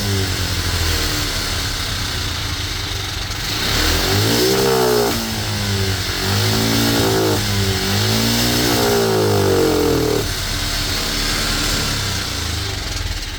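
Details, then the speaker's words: Cheap monkey bike after carb reassembly, no longer leaking fuel from the overflow: a massive improvement and it now revs, though the revs still surge unevenly and waver. The plan is to raise the needle one notch for more fuel. "Okay, definitely a massive improvement from what it was. We're actually getting some revs now."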